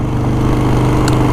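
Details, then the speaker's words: Motorcycle after a shop replaced the DK Customs push-button ignition's thin wiring with a switch on heavy-gauge wires, new lithium battery, after hard starting: catches and settles into a steady, even low idle, starting normally. "Starting up beautifully. So not my fault."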